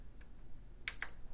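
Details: PS5 CFI-1115A beep on-off fault, test after cleaning, no fan or monitor connected: two short high beeps about a second apart, then shuts off; UART shows error remaining for RAM bank three, suspected liquid metal or APU connection.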